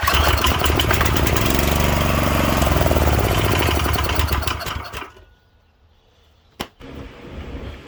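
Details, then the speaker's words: Late-60s Heathkit Boonie Bike with Subaru 170cc engine (about 5 hp), old stale gas, given a sniff with choke: rapid popping run for a few seconds then dies; fuel starvation, no gas coming through the clogged carburettor inlet. "the fact that no gas is coming out it's not a good sign"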